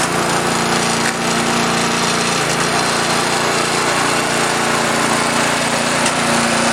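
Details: Predator 212 single-cylinder engine on a rototiller, after replacing a carburetor corroded by ethanol gas from sitting a couple of years, started on choke: steady, even buzzing run with no hunting or surging; running smoothly after the repair.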